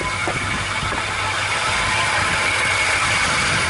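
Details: Dodge Dakota idling after battery temperature sensor replacement, charging about 14 V: steady even idle, light hiss over low hum, no knocks or misses; normal healthy idle.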